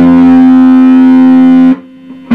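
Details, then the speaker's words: Fender Blues Junior valve amp with a new set of valves fitted, on the bench after warm-up, played with guitar: bass notes come out harsh, buzzy and fuzzy instead of clean, unchanged with another speaker. Distorted output because one output valve isn't conducting. "distortion okay that sounds really nasty"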